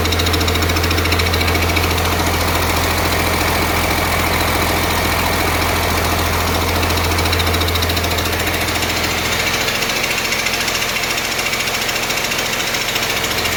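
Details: 1948 Ford F6 COE rat rod with 190 HP 5.9 Cummins 6BT (from 1994 Ford F700), P7100 pump, #10 fuel plate, first start-up: steady even diesel idle with loud rhythmic pumping clatter from the air compressor. Not smoking much; engine healthy.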